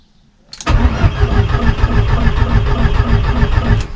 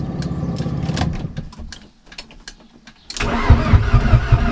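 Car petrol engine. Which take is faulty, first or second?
first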